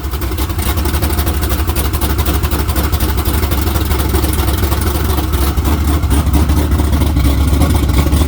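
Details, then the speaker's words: Naturally aspirated LS in Camaro with large plenum intake, carburetor, cam under 240 duration, good ring seal: deep choppy lope at idle lifting into crisp blips and dropping back evenly; healthy cammed V8. "I just can't believe how snappy that thing is with that much intake. But yeah, I've heard a lot of LSs. I've never heard one that sounded that rowdy, naturally aspirated like that."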